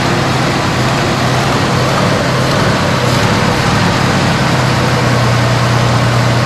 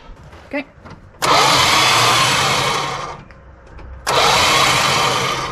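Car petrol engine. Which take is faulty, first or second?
second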